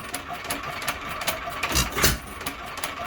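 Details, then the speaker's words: Unmarked 1 1/2 hp hit-and-miss engine (owner guesses Hercules) with ball governor and possible spark plug conversion, after a softer governor spring: a slow single-cylinder beat with ticks and firing thumps, noticeably slower, speed lever back in the middle; normal hit-and-miss running. "that certainly slowed her down a good bit and if you notice on the speed leader i am back in the middle"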